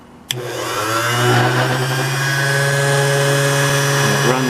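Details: Vintage Taylor Lock Co. (Philadelphia, USA) key cutting machine running after cutting bump keys: steady even motor hum, clean constant tone, light vibration; runs smooth and healthy.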